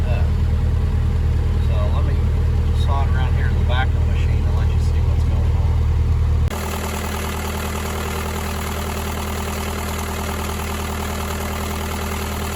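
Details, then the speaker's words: Bobcat S185 skid steer idling with heavy low drone; when AC switched on the tone turns harsh and steady as the belt drags the AC compressor clutch, whose centre is locked up; seized compressor, to be replaced. "what you're hearing is my belt in there um trying to turn the clutch which it was turning the clutch i guess but the center of the clutch itself is locked up"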